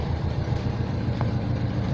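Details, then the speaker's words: 1982 GMC Crew Cab, 350 small-block Chevy V8, carburetor, Turbo 400 transmission: low, even idle with no misses after STP multi-purpose motor treatment cleaned the carburetor; air cleaner and vacuum lines refitted, now idling much smoother. "it's all cleared up the engine is uh idling much much smoother now"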